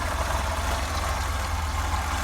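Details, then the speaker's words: Opel Manta Berlinetta 1.8 8-valve carburettor engine, cold, not warmed up, choke nearly all the way in: even, steady low thrum with no misses or knocks, idling cleanly on virtually no choke. "The choke is nearly all the way in. This is how it's running with virtually no choke. The engine's not warmed up yet."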